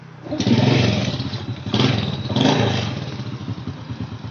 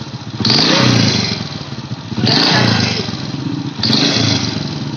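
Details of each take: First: Honda Supra Fit motorcycle after repair of a rough noise that appeared when revved: catches after a few cranking bursts and settles into a steady, even idle with no knocks or rattles; normal idle, the rough revving noise almost gone. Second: Honda Supra Fit motorcycle: smooth at idle with slight valve noise, but three throttle blips bring a harsh rattling knock rising with revs; owner suspects leaking head gasket, not piston, unconfirmed.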